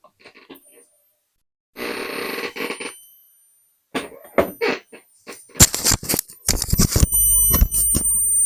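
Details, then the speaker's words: 400 W computer power supply that squeals when plugged in. After handling clatter, a thin, steady high-pitched whistle starts at power-on. The fault was traced to failing electrolytic capacitors, which were later replaced. "надеюсь вам слышно Ну то есть это явно То есть это явно электролит будем выяснять какой либо Какие"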